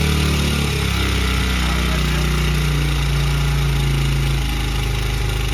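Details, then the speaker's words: Honda CRF100F kids' dirt bike during restoration, idle adjusted down from high idle: small single settling from fast idle to a lower, steady putter, running smoothly; normal idle. "all right so we'll crank it back up and we'll idle her down"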